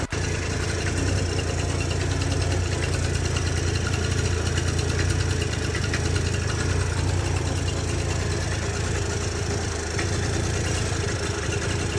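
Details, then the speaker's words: Yamaha Jog 50cc two-stroke scooter that would not start, after cleaning gunk from the fuel pump and turning the idle screw outward to lower rpm: steady, even low idle without stalling or surging. Running properly. "so as you can hear the rpm dropped a bit and is turning a little bit better"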